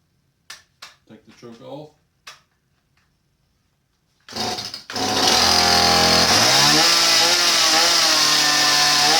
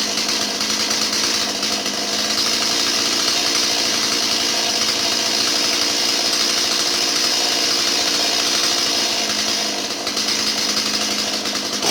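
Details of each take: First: Stihl 017 chainsaw that bogs down, EPA carburetor, started after four pulls without air filter: fires and holds steady high scream, never dropping to low idle; idle speed set too high. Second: Stihl 017 chainsaw that bogged down, after retrofitting an adjustable non-EPA carburetor in place of the EPA non-adjustable one: steady high-pitched two-stroke buzz, no stumbling or surging; runs clean.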